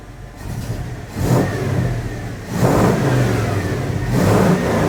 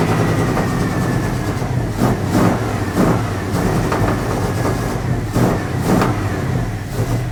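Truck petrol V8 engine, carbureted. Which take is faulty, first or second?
second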